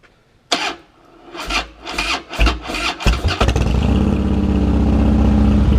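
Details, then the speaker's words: Harley Dyna Wide Glide, first start after reassembly with the tank (tin set) installed and the owner unsure of fuel pump and fuel level. Several cranking surges, it catches at about three seconds, then a steady, even loping idle with no knocks; sounds good. "Alright, so it's running. Alright, I don't know about you. Alright, I don't know about you, but this thing looks good, sounds good, it's fully back together."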